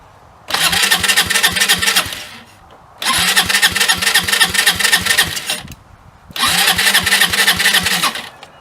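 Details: Hammerhead 250 SS after tune-up and carburetor cleaning, idle screw just turned up: three cranking bursts of quick, even chugging, about four beats a second, each stopping without catching; cranks but won't fire, brake cleaner added next.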